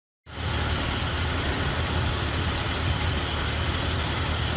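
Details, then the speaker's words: Morris Minor A-series engine with Judson supercharger, after new intake manifold gasket (small leak still suspected), idle screw fully out; steady even idle slightly high, no misses, knocks or hiss; healthy. "it is it doesn't sound too bad uh it's not really idling around 1000 right now um george judsonguru.com said might not be able to get less than nine hundred thousand rpm for idle but uh it sounds pretty good"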